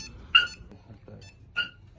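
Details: Two short, sharp high chirps about a second apart over a quiet background from a Chevrolet Silverado SS clone pickup's newly installed Viper remote start and alarm, confirming lock and arm.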